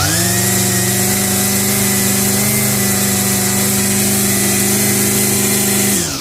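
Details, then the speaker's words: Revived curbside Craftsman 25cc two-stroke trimmer with a new fuel return line, restarted after a brief cool-down: steady high-speed buzz for six seconds with an even tone and no surging, then cut off cleanly; repair successful. "All right. So, looks like that was a good repair. Not too bad."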